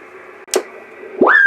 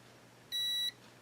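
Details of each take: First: Yaesu FT-901DM transceiver: after cleaning a relay contact that was opening the audio circuit, clean steady tone then band hiss; receiver audio restored and working normally. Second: Yaesu FT-901DM transceiver with no transmit drive and no audio: continuity tester across a relay contact gives one short high beep only when the contact is pushed up; the contact needs bending up slightly to close, restoring audio.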